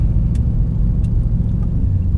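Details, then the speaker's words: Nissan Titan V8 under way after rear cats deleted and front passenger cat self-gutted, previously clogged and limited to 20–30 mph: deep, steady rumble pulling evenly, no choking, popping or roughness; runs like a champ. "But now it runs like a champ."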